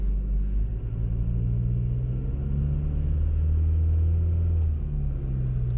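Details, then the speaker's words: 2012+ Chevy Sonic/Cruze 1.4L, driving and decelerating after passenger-side motor mount replacement: smooth low engine drone, no shudder; before, the whole car shook when decelerating, now pretty quiet. "yeah no that was that was the whole problem I mean these cars the motors are still kind of loud but before when I was decelerating like this I mean the whole car was shaking and now it's pretty quiet"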